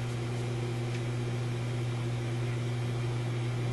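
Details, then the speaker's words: Yugoslavian-built Florida AM/FM/SW tube radio after a new power-supply filter capacitor: steady low hum at one fixed pitch under faint hiss, louder with tone turned up; residual hum in the radio itself, volume control also faulty, cause not confirmed. "it's definitely the radio because i turned the tone up you can hear it more volume has an odd effect on it"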